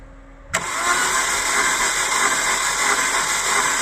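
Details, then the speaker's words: 2000 Holden Astra, 1.8 L 18XE: starter engages and turns engine steadily without catching, long crank; no spark or injector firing seen, crankshaft position sensor suspected (glitch on scope), to be replaced, not confirmed. "I observed the cranking of the engine the sun is like there is no firing uh coming from the spark plug and it seems that the fuel injector is not also um delivering period so my suspicion guys is the crankshaft position sensor"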